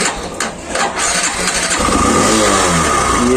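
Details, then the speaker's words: Hero Glamour i3s BS6 motorcycle, cold start after sitting unused for many days: catches after a few cranks into an uneven, busy, strange-sounding idle; owner unsure of cause; dealer later mentioned the tensioner. "Guys कैसा अजीब हो गया sound ये सुन रहे sound अजीब हो गया sound पता नहीं क्या हो गया बलक को और काफी दिनों से चलाया नहीं ना तो उस अजीब हो गया साउंड"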